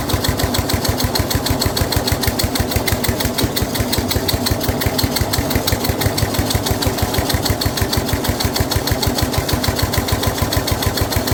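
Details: Snapper rear engine rider, Briggs 12 HP single-cylinder, abandoned for years, new carburetor: fast even thumping with heavy laboured edge as mower blade turns when it shouldn't, loading the engine; this load also made starting hard.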